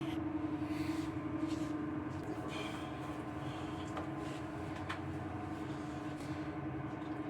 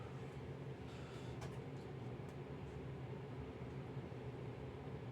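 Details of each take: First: Dantherm HCV500 double-flow ventilation unit (sold by Geco) running at speed 2 is already very noisy. A steady, loud mid-pitched hum and drone with a few clicks comes from a worn fan bearing that needs replacing. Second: Dantherm HCV500 heat-recovery ventilation unit after fan bearing replacement, running at full speed; even steady low hum with no whistle or rumble, the earlier unbearable whistle is gone.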